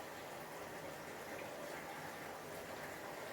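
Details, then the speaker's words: Moray eel aquarium sump after reseal, return pump at about 4,000 L/h: constant hissing splash of water landing hard on the egg crate, no mechanical knock; overflow too strong, sponge planned to quiet it. "So the water's just coming out of the back a little bit strong, so I will run a channel sponge through the back there. That will make this near silent as it used to be."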